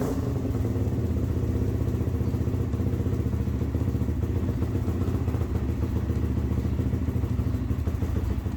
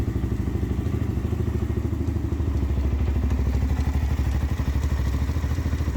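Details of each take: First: ATV (quad) started after the stator was reinstalled with a new gasket to fix a starting issue: it catches and settles into a quick, even single-cylinder thump with no starter grind or clatter. Normal starting and idle. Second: Z400 quad after replacing the one-way bearing and reinstalling the stator: slow, uneven low thumping about three times a second as the starter labours to turn the engine over. The starter is failing; the replaced one-way bearing was also showing wear.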